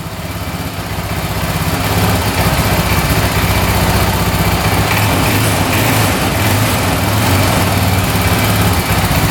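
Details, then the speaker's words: 2004 Honda 400EX single-cylinder quad that bogs, after a carb clean and valve adjustment, cold: a rough, lumpy, stumbling run; off choke it won't rev and dies, and it improves as it warms; cause unconfirmed. "All right, as you can see, it's running horribly. I turn it off choke. It won't rev out at all. It just dies."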